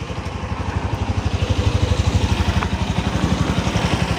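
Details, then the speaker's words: Byson motorcycle with ticking engine noise and a rough clutch, after replacing the clutch set and cam chain: even steady exhaust pulse about four beats per second, ticking largely gone, no rattle; normal running. "Bloknya juga semakin halus, tidak lagi, Anda tahu, suaranya jauh lebih tenang sekarang. Suara detiknya sudah tidak terlalu terdengar lagi."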